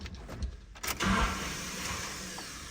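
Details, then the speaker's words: Nissan D21 Hardbody, KA24E 5-speed, another replacement starter just installed: key-on clunk then high whir winding down while engine stays still; starter spins without engaging flywheel, bad starter. "so the starter is spinning it's just not engaging which uh is also a problem another form of a bad starter"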